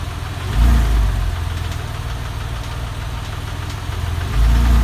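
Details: Porsche 996 engine at steady idle: a loose, fairly quick tapping riding on the low rumble, a knock-type noise whose source is not pinned down.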